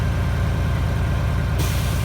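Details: 1997 International 9200 diesel idling low and steady in cold weather, then a sudden sharp hiss of air bursts out and holds: a clean air dryer purge at governor cut-out. The compressor kept cutting back on, and the owner suspects a leaking air-suspension airbag.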